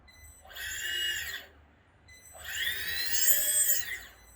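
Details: Agricultural drone with a DJI A3 flight controller, test run of motors 5 and 6 right after ESC calibration with a servo tester: two clean rising and falling motor whines, smooth and even with no gritty edge; normal run-up.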